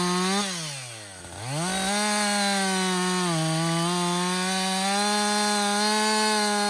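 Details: Husqvarna 562XP 60cc chainsaw, back from the shop after dealer reflashed its software for dying when hot and stumbling, bucking dead windfall about two-thirds of a tank in: strong high buzz dips as bar bites wood, recovers cleanly and holds steady; normal under load.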